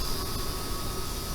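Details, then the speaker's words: ComfortBilt HP42 Alpine pellet stove, first run after assembly with flame just established: even whoosh of air with faint steady whistle, no rattle or scrape; fan runs normally and owner finds it not too loud. "That was a concern I had when I bought this unit, was how loud was it going to be, because this is going to be setting in our main living area of our home, so I didn't want it to be too loud. But I don't know, it doesn't sound too bad."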